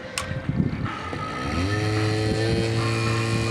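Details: Silent air compressor started when cold, turning slowly over several cycles with a zip until warm: a few rough clicks and hesitations, then motor catches, winds up quickly and settles into steady even hum; starts normally once warm.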